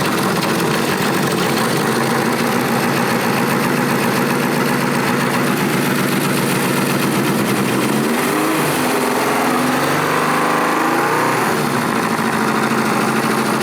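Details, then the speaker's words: Classic Honda motorcycle idling after installing a new plug and prototype oil pressure gauge fitting: busy but steady idle, tone shifting slightly as it settles, no knocks or misses; oil pressure reads 58–60 psi, no drips. "Got it all put back together with our new plug. We're gonna fire it up. Give us another test."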